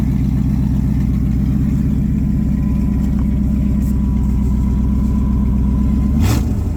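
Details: V8 truck at idle after fitting new 2-inch high-flow catalytic converters, X-pipe not yet finished: deep, loud, lumpy idle with a steady firing beat and no rattle or hiss from the exhaust; sounds healthy and rowdy.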